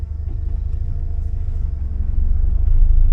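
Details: 1979 Porsche 924 road test after fuel system cleaning, a new filter and an alignment: deep engine rumble building gradually under road load, with no knocks or grinding. Oil pressure and charging good, temperature mid-gauge when hot. Engine pulling fine.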